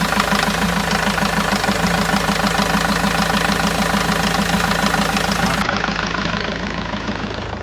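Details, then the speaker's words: 2002 Renault Master 2.2/2.5 G9T diesel after replacing the Gates belt, tensioner and pulley: typical diesel clatter at a steady idle, belt side smooth with no squeal or chirp before shutdown; normal idle. "New tensioner, new pulley, and new belt. Done. Very easy. So, we just start it up now quickly."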